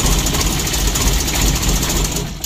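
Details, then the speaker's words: Mitsubishi L300 diesel at idle with reduced power: rough snoring drone under uneven idle; slack timing belt rubbing on its cover. "lalu yang kedua Suaranya sangat kasar bertelur suaranya ada ngorok Iya betul suaranya"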